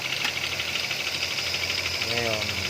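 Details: Toyota Avanza 3SZ engine at idle: fast, light, regular tapping over a thin idle with an even beat; engine knocking, cause unclear.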